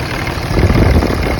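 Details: 2005 Dodge Ram 5.9 Cummins turbo diesel, rough idle complaint, cold engine: lumpy, uneven low rumble with periodic stumble. Windex sprayed on the exhaust manifold showed cylinder six not heating, a misfire; injector and compression checks planned.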